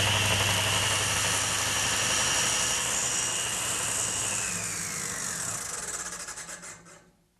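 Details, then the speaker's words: Table saw test cut: high whine with scraping cutting noise, then falling tone at shutdown that still rasps; blade's rear teeth are recutting and burning the back of the board. "no question those rear teeth were cutting. You could hear it cutting. You could certainly hear it at the shutdown."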